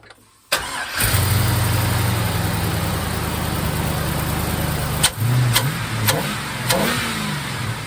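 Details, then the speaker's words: 1951 Hudson with LS swap 5.3 V8 from an Escalade on a $100 eBay harness, running on no MAF sensor with about 40 psi oil pressure at idle: quick crank and catch, smooth steady idle and clean throttle blips, power steering works; healthy. "let me see if the power steering works power steering power steering works good sounds good she's running just like it was in the Escalade fantastic"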